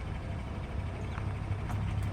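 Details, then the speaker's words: 2014 GMC Sierra with 2.5-inch leveling kit, 17-inch Method wheels and 305/70R17 Nitto Ridge Grapplers: at full lock only steady engine rumble, no tire rubbing; rub occurs only mid-steering. "full lock it's full lock again full locked no rub not at all but it's only that weird little middle spot"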